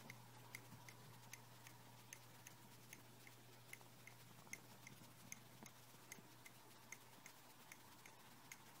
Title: MacBook pro 17 clicking sound